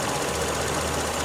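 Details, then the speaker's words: Car, after 11 days sitting and odd cranking: steady, even idle at about 700-something rpm, smooth low hum with no knocks or misses, quiet sewing machine; normal idle. "It's running, it's doing its thing, everything's good. She's idling normal, turning, I don't know, about 700 and something RPM. Nice smooth idle, smooth running, quiet little sewing machine."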